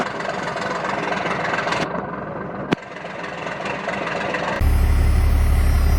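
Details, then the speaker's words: 1992 Dodge D350 Cummins diesel after sitting about 14 years, first start with a new fuel filter primed with ATF and the fuel shutdown jumped: steady, even idle with no knock, good pressures, but not charging. Normal idle. "got good pressures says it has a fuel a full tank uh not charging uh but it's running"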